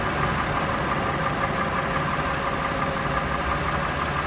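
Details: Warm Lexus RX330 with a 3MZ-FE engine, revved to 1000, 2000 and 3000 rpm: a light, uneven tapping about three times a second over the engine hum. The knock's origin is unclear; the owner wonders if it is piston knock.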